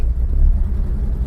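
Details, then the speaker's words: 1970 Citroen DS, sat over 20 years, creeping in reverse on a test drive: low lumpy rumble with uneven pulses, running a little rough though mechanically sounds good; owner suspects it needs fresh fuel, oil change, spark plugs, possibly carburetor rebuild. "It is running a little rough. I think oil change service. not running as well as it could be, but mechanically like it sounds great."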